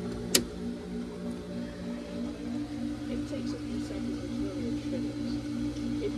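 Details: Hayward pool heat pump not heating, fan and compressor not working: steady low electrical hum with no fan whoosh building, the motor straining to turn; seized condenser fan motor.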